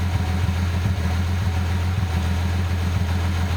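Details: Engine tested with a Cardone reman ECU from a 1988 Nissan 300ZX turbo (California, automatic), a new eBay airflow meter and a changed lambda sensor: steady, even low rumble with no misses and good response. Running normally.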